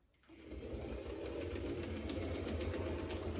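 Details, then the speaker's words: Restored HO scale Tyco Midnight Special locomotive running in reverse: small motor whir with an uneven, juddery ticking about three times a second; owner judges it most likely a cracked axle, possibly needing run-in. "See how it goes in reverse. It does have a little bit of motor noise and seems a little juddery."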